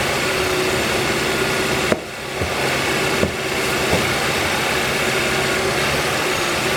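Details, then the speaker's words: 2013 Kia Rio idling after alternator replacement and belt refit, just restarted after a battery disconnect and relearning. Steady, even idle with a couple of brief handling knocks; the alternator rattle is gone and charging reads about 14 volts. "this will run a little a little funky it's got to relearn I've had the battery disconnect noise is gone"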